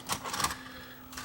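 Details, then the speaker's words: Rare Sony EV-C3 8mm VCR, first power-up before restoration (failed capacitors suspected): quick mechanical clicks over a short motor whir as the cassette threads, no grinding or stalling; normal tape loading, the loading mechanism works. "okay loads of tape that's a good sign that part works"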